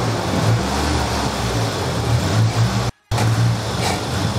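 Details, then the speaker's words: Nissan 200SX turbo engine after a walnut was removed from the turbo, running in limp mode with the MAP sensor unhooked; steady, even low drone with no turbo whistle, rattle or grinding, much quieter; normal running turbo engine. "it may not want to rev we'll see sounds much quieter"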